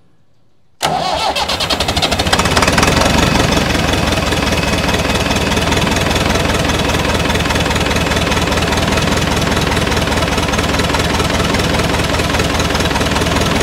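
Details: Massey Ferguson 178 diesel on a 50-year-old cane haul-out tractor that sat for years: long, even cranking about four beats a second that never catches; diesel reaches the injector pump, cause unconfirmed.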